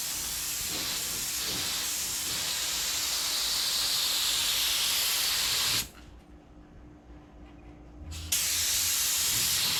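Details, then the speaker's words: Spray gun priming an 81 Corvette hood blows only air: steady high hiss, cutting off briefly then returning. Seems stuck in air; missing Teflon tape or needing a rebuild suspected, unconfirmed. "yeah what's the issue with your gun sounds like it's stuck in air now I didn't use any Teflon tape on that thing there could it be that no this gun need to be rebuilt"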